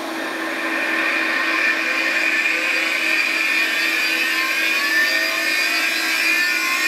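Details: Classic Digital (DEC) hard drive in a special holder, spinning: a loud steady hiss with a constant mid-pitched whine and faint high tones. The owner suspects an issue and is unsure whether this sound is normal.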